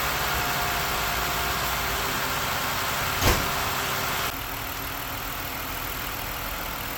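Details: 2006 Ford Five Hundred after misfire repair and full tune-up, just restarted after priming the fuel pump: steady even idle, no stumble, misses or rough idle.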